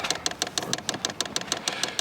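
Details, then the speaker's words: Vevor diesel heater in a van in winter: the dosing fuel pump gives crisp, even ticking at about six clicks a second while priming after a failed start; fuel is visible in the line and the pump sounds normal. "That's a good sound, folks. That's a great sound. I can see fuel. You can hear it. You hear the pump going."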